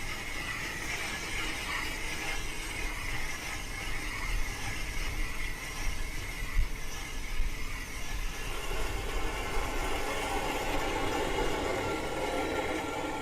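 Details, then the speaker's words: Car driving with steady metallic scraping and rough grinding under road rumble; possibly brake pads worn metal-to-metal on the discs, or a stone caught in the pads or shoes. "The most common issue when it comes to brakes is a screeching or a grinding noise. If you hear screeching or grinding noise, then there's something wrong with your brakes."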